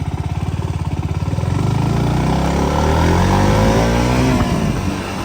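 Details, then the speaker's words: KTM Duke 200 after replacing the chain and sprocket kit: the single-cylinder thumps evenly at idle, then revs cleanly in first gear with no tak-tak chain noise; the earlier noise was only the chain. "లేదు, మొదటి గేర్‌లో శబ్దం రాదు. సౌండ్‌కి సంబంధించిన సమస్య అంతా కేవలం చైన్ సమస్య వల్లే వచ్చింది."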